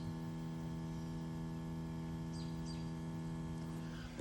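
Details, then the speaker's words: Subaru Forester with the engine off, buzzing heard near the wheel. Steady low buzz at one pitch without pulsing; reportedly a fuel pump related noise that runs for about 15 minutes after shutdown. "apparently there's some type of thing to do with the like the fuel pump that just creates this noise when the car is off and it goes on for like 15 minutes"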